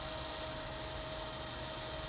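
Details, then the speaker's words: Quantum ProDrive LPS SCSI hard drive with bad blocks, revived after a day in the freezer, imaged via ZuluSCSI: faint steady high whine over an even hiss as it spins; described clicking is not clearly audible, and it hits a bad sector. "You have to have a decently good hard drive. And by throwing them in the freezer, you can hear it. That clicking noise minus the fan."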